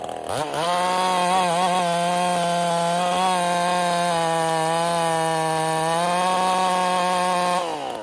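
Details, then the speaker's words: Ported Husqvarna 55 chainsaw after fresh spark plug: winds up to a flat, strained top speed well below a ported saw's scream. Plug wasn't the fix, much power lost recently; weak top end from a scored cylinder. "all right so wasn't the spark plug I'd say we're right on the edge of blowing us off I lost so much so much power just over this last little period of time"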